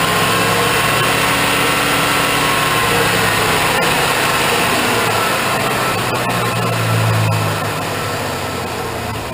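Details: 2001 Suburban 2500, 6.0 Vortec, cold start at about 1 degree after sitting overnight, just after a cylinder head rebuild with new plugs, wires and gaskets: the idle wavers up and down and nearly dies. Rough cold idle with RPM surging.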